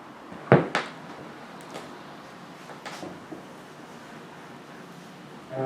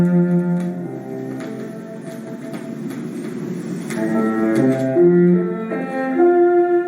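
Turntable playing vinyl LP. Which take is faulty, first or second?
second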